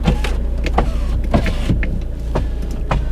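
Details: 2010 Volvo V50 with Powershift dual-clutch gearbox: power window motors whirring in short runs with soft thuds at each stop over a low cabin rumble; all windows work normally.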